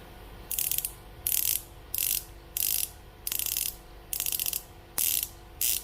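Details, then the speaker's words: Daiwa Tatula SV TW 8.1 baitcast reel with a plug-and-play metal drag clicker being sound-tested; spring can be set stronger. Crisp, bright ratcheting bursts in even half-second spells as spool turns; normal drag clicker. "Kita cuba bunyi dia. Biasalah macam ni. Kalau nak dia kuat sikit, kita akan turunkan sikit."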